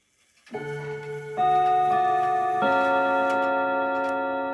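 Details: 1940s Manufrance box clock (1945–46) with a Girod movement, long pendulum and Saint Etienne rod chimes. Ringing chime notes build a slow melody over a low hum, with several tones slightly flat: out-of-tune, flat chime rods.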